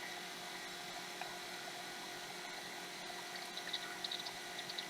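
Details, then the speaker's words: Apple Macintosh LC, about 1991, first power-on with a replacement PSU after sparks near the PSU connector: startup chime and fan, then a noisy Quantum hard drive whines and ticks as it seeks and boots; sounds normal. "I have a bong, I have a fan, I have a whoa noisy. Oh, let's calm down now. Quantum hard drive."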